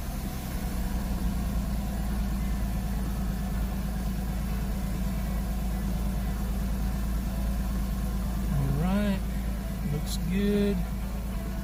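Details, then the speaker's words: Porsche Boxster, non-running water-damaged donor car for a 2000 Boxster S, just started after replacing the fuel sending unit and splicing the immobilizer wiring: steady, even idle with a short rev blip that drops back cleanly; runs well while warming up. "give a little Rev running pretty well now let it warm up"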